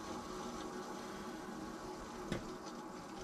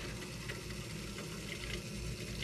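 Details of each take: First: Central Boiler CL 6048 outdoor wood boiler after replacing a failed Taco 007-F5 circulator pump, valves slowly reopened: constant hissing, gurgling water rush with one short clank as air is purged after the heat exchanger seal was broken. Air in hydronic lines. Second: Outdoor wood boiler (Central Boiler CL 6048) after replacing blown Taco 007-F5 circulator pump: steady, even hum with water rushing through loop, no knocks or rattles; pump running normally.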